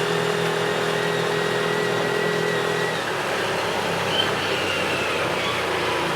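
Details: 2017 Odes side-by-side under way on the road after the fix: a steady engine drone over road and wind noise pulls evenly without surges, stumbles or popping, because the gear position sensor no longer jumps to neutral or reverse and upsets the fuel enable.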